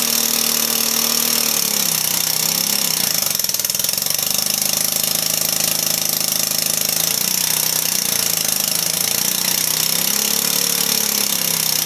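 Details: Backyard-find 150cc Velocity scooter after hooking up a cable: harsh, uneven clattering run, pitch sagging and surging about four seconds; only stays running on throttle, stalls off it. Cause not confirmed.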